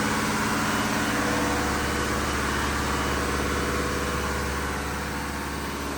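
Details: Diesel fire pump engine on its weekly half-hour test with isolation valve closed, giving a loud, even drone at steady speed with a smooth beat and no knocking or hunting; running normally.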